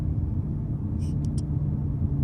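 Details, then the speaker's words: 2008 BMW M5 E60 V10 at idle with mufflers and resonators removed: deep, steady droning rumble with nothing smoothing it out; loud exhaust drone from muffler and resonator delete. "Do you hear that? I don't like the exhaust out, but it makes a lot of noise."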